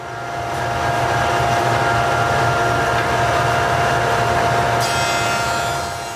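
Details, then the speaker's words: Jointer with helical cutterhead jointing walnut boards with the grain; steady high cutting whine holding even for about five seconds as the board passes, knives contacting along the full length; normal full-length jointer cut. "though I'm wearing a hearing protection, it's important to listen as you guide the board over the jointer. You will hear when the knives have made contact across the entire length of the board, both on the flat side and on the edge side."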